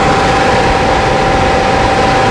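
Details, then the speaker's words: RV furnace test-fired after repair, thermostat wires jumped: steady, even whoosh of air at a constant tone near 800 Hz, no rubbing or scraping, sounding much better now; normal blower run. "Yep, she lit right up. Sounds much better now."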